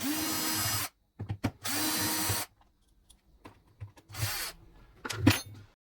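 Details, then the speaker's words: Vacuum cleaner motor spun by hand after removing fan: short rough grinding bursts with a catch partway round; broken bearing, dust got into motor. "ببینید این موتورو من دارم میچرخونم صدای موتورو میشنوید گیر کرد الان مثلا اینجا ب این موتور اشکال داره یه اشکال خیلی بزرگی داره"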